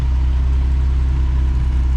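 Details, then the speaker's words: 1979 Ford F100, 300 straight six, Holley 390 4-barrel, dual port intake, header, dual exhaust, about 50 miles after revival from 1992: deep, steady, even idle, no misses or knocks; idle still needs slight adjusting, running great. "But besides that, it's running great. Sounds really cool. Sounds like a bunch of bees when you get on it."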